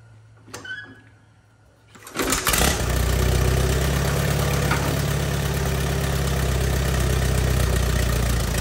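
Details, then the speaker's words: 1944 Allis Chalmers B after installing a rebuilt FMJ magneto and setting timing, cold start, choke used: starts on first quarter pull and settles to a steady, even low idle with no misses; normal. "how about that that is excellent news started on the first quarter poll"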